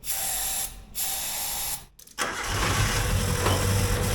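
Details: Suzuki Samurai abandoned for 20 years: steady cranking at about four turns a second that never catches. Owner suspects stale, smelly fuel and a bad fuel pump or broken fuel line.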